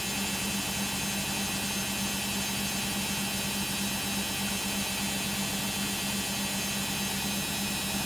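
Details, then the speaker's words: Beko WM5100W 5kg street-found washing machine, plumbed in, with rags, during a long spin of about 10 minutes: a loud steady roar with a constant hum and no knocking, far noisier than normal; motor brushes only suspected. "that was quite a long spin being about 10 minutes of the spin cycle hoping it's just going to distribute and finish up now"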